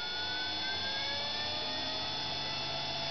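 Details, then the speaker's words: Motor driven by microcontroller PWM through a solid-state DC-to-DC relay, with a junkyard throttle position sensor as the throttle: a thin high whine rises and falls smoothly with throttle; the relay switches fast enough and the motor runs properly. "You can hear that high frequency whine,"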